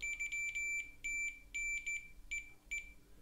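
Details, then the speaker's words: Loewe-Opta Magnet 3737W tube radio, faulty oscillator: multimeter continuity beeps across the desoldered oscillator coil winding (L22, from tube pin 8), showing the coil is intact. "we've got continuity so our coil is fine which is great news"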